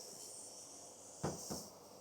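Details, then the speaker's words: 1969 Pontiac GTO with a budget belt-driven A/C system under vacuum, before charging from a 12 oz refrigerant can: thin steady high hiss with a couple of louder puffs as air purges from the charge hose. "So we're gonna let this guy purge. You can kind of hear the air hissing out. We ought to be good. There's not a lot of air trapped in this line."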